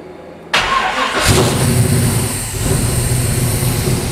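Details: 1977 Chevy Nova V8 with a newly installed FiTech 800hp MeanStreet EFI, idle set to 900 rpm, fuel pump cycled once: the starter whirs briefly, then it catches and settles into a steady, even, lumpy idle. Healthy start.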